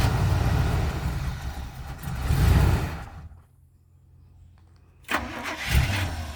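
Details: 1985 Winnebago Wind Cruiser, 454 big-block V8, Turbo 400, 32,700 miles, unused ~17 years: rough V8 catches, runs seconds, dies, refires; oil pressure present, keeps running only while fuel is fed. Cause unconfirmed.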